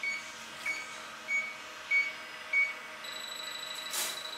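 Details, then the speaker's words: transCooler 25 cooling unit (BD220 compressor) out of refrigerant after the customer drilled holes into the evaporator: leak detector gives sharp high-pitched chirps about every half second at the leak. "hier habe ich ein lexus gerät und wenn ich hier alles absuche gehört das vielleicht wie das pfeif"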